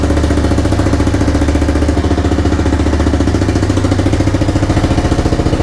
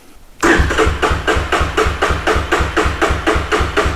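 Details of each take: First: 1985 bike (Big Red) just restored, started on a snowy morning: loud regular single-cylinder beat at idle, about three and a half pulses a second, holding even; normal idle. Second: 1985 Big Red with a newly installed starter, given a little choke: starter churns the engine over at about four even compression beats a second but it never fires, no fuel reaching it; cranking no-start until fuel is turned on.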